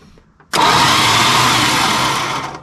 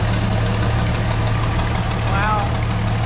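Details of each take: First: 1973 Dodge Dart Swinger, 225 slant six freed after 29 years locked, cranked with spark plugs out, no spark, fuel line disconnected: about two seconds of harsh, raspy, even grinding whine, no firing; engine turns but the starter sounds terrible. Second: Barn-find 1973 Dodge Dart Swinger, 225 slant six, first start in 29 years after freeing a locked engine, new battery, cleaned plugs, gas down the intake: even, steady low rumble with no knocks or stumbles; running smoothly and healthy.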